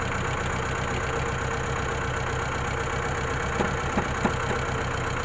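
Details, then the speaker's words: Mitsubishi Colt T120SS pickup, high fuel use (5 L per 3 km), hard starting: lumpy stumbling idle; pulling cylinder 4 plug wire causes no change, showing cylinder 4 is dead. "nah kondisi sekarang mesinnya masih pincang nih nah kita coba cek ini untuk kabel busi ini ini untuk kabel busi yang silinder nomor 4 kita buka kita coba buka Nah kita pasangkan lagi kita dekatkan dan kita jauhkan itu tidak ada perubahan"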